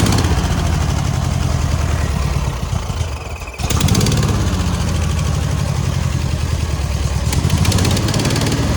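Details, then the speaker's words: Air-cooled VW 1600 dual-port flat-four in a sand rail, idling after exhaust-leak repair work (alternator not charging): a steady, even low chug with one brief dip before it settles. Cranked right up; normal idle. "oh man she purred crank right up"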